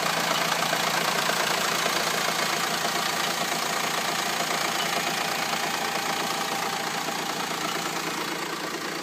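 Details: Renault Espace 4 2.2 dCi diesel idling: busy, raspy clatter with a rapid tick around three per second over it; abnormal engine noise, cause not identified.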